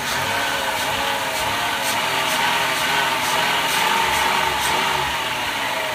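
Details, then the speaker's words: Throttle blips on a front-wheel-drive 6-cylinder 4th-gen Chrysler/Dodge minivan just after new spark plugs and wires: it revs up smoothly and evenly with no knocks or misses, and no warning lights come on afterward. It runs normally. "Sweet. Van still runs. Now let's go inside, see if I've got any warning lights after playing with the throttle."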